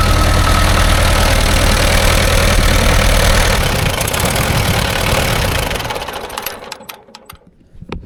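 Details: 1945/1946 Allis Chalmers Model B tractor, about 80 years old, magneto ignition, revived after sitting unused in a barn about 20 years: steady, even low chug with no knocks or misses before shutting down; engine sounds good and all gears work.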